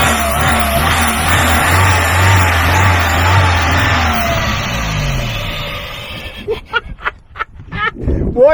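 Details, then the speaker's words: Free truck's engine kept running on carb cleaner, before running on own fuel supply: steady even fast idle, no misses or knocks, doesn't smoke; sounds pretty good, normal running. "we got life it doesn't even smoke the engine sounds pretty good"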